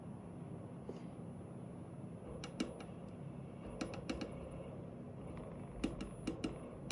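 Quiet cabin with sharp, irregular clicks coming in short bursts of two or three; an actuator ticking, cause unclear.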